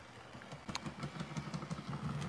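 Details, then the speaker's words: HO scale model locomotive running: quick light clicks about six a second in time with the motor, engine otherwise running fine; owner suspects a split gear, not confirmed. "i mean this engine's running fine but you can hear a clicking noise i think it's probably got a split gear somewhere in there"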